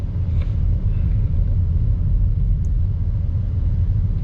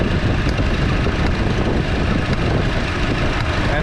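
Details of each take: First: 2014 Chevy Cruze 1.4L turbo four-cylinder, warmed up after the cylinder 4 ignition coil repair; deep, steady, even rumble with no stumbles, and no misfire now at the temperature where it previously began. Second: 2014 Chevy Cruze 1.4L turbo four-cylinder idling with a misfire on cylinder 4 (confirmed by scan tool misfire counts), worse in damp weather; rough uneven idle with sharp arcing snaps about once a second from the cylinder 4 ignition coil pack.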